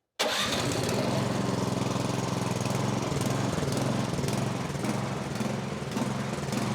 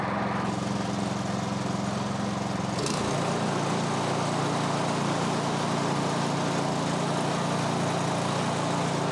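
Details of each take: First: MTD snowblower, stone cold, with fuel in the tank, running on a little choke: fires up, then hunts with rising and sagging speed, starving lean; the pilot jet was probably plugged. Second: Snowblower (MTD) single-cylinder engine, about 2–3 years old with roughly an hour of runtime, after the plugged carburettor pilot jet was cleared with a bigger guitar string: steady, even beat with no hunting or stumbling, now running properly.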